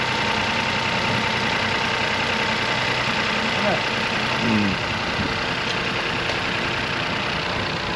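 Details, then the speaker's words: Crash-damaged Copart car, started on jump leads after crash codes partly cleared: steady, even idle with no misses, knocks or surges over several seconds; engine sounds healthy. "Sounds all right. All of this should be all right, shouldn't it? Really? Engine wise >> should be all right. It's running."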